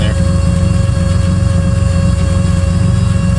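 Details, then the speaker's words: 1986 Winnebago Lesharo with transverse carbureted V6 conversion, stale after sitting, warmed up at idle, due an oil change: low, uneven idle, lumpy beat about four a second with the odd skipped pulse; running smoother but misfiring on a cylinder. "brian needs an oil change and so now that it's been warmed up it's running a little smoother but not perfect sounds like it's missing in there"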